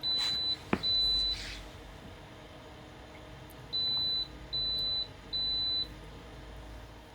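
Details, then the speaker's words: AEG Electrolux Lavatherm 59800 condenser dryer, not heating, in the test-mode sequence: after two earlier tones, three clear high-pitched beeps of about half a second each signal the E32 error, with the rear blower fan dead. "What I didn't notice was that the blower fan at the back wasn't working, and this E32 error popped up."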